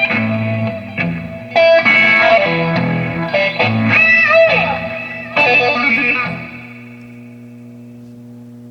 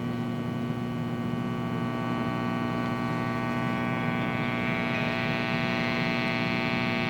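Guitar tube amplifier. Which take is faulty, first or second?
second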